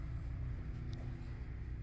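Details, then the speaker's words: Westinghouse 9500DF dual-fuel generator powering a 2.5-ton central AC: steady low drone holding even under the AC load, no hunting or stumbling; running normally, AC blowing cold. "i can hear it spinning let's check for cold air it's blowing cold air already this is good"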